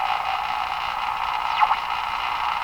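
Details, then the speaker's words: Westinghouse 535 radio after replacing the last two old capacitors, tuning for a station: steady rushing hiss with a faint warbling sweep, identical on AM and shortwave, oscillation on all bands, ruling out the local oscillator; cause not yet found. "It sounds exactly the same, eh? That's got to be the hint. The same oscillation, doesn't matter what band you're on. Same effect regardless of what band you're on."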